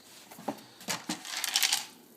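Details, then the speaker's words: Chevrolet Silverado/GMC Sierra 2500HD glove box rattle that bounces around while driving: light plastic clicks and clattering from the latch lever, loose because the plastic spring perch is broken, so the spring holds no tension. "lever for the glove box door and the reason it rattles is cuz that little spring the little plas piece that it Bears against is broken so it doesn't hold any tension against the lever"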